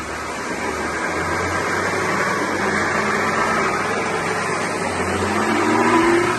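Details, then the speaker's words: BMW X1 E84 20i xDrive, 2.0 petrol, on a lift with wheels spinning: steady low drone rising in pitch with speed from the worn front differential (3.15 ratio), damaged by a faulty front driveshaft U-joint; repaired with new U-joints and balancing. "Я думаю всем было хорошо слышно что явно передний редуктор не в порядке"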